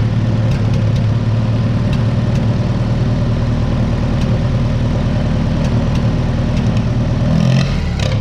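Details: 1955 Oliver OC3 Cletrac crawler, sat 20+ years, IH Farmall M distributor, replacement coil and new float, timing advanced, about 20° outside: even low steady four-cylinder idle, no stumbling or knocking; normal idle.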